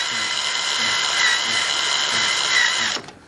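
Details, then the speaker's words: Webster model engine turned over by an electric drill through a newly machined crankshaft driver, exhaust valve timing just set: drill whine dips about twice a second as each compression stroke loads it; normal cranking compression. "you can hear the motor in the drill picking up the load when compression comes"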